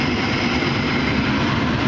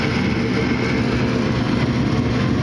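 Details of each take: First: Furnace inducer motor, mounted up top, starting once the door switch is pushed in, ahead of the igniter and flame; a steady, even whoosh and hum with no knocking, rattling or wobble, running normally. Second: Gas furnace igniter test with door switch pushed in: only steady inducer motor hum, no ignition click, igniter not glowing; fault in the igniter circuit suspected, not confirmed.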